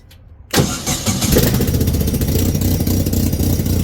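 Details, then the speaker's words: Hydramaster Titan 875 carpet-cleaning truckmount after new blower belts fitted, started and run on low: brief quiet, then engine catches and settles into a steady, even low run with blower, suction and pump working; healthy. "Turn it on low. So we got suction, we got pump again."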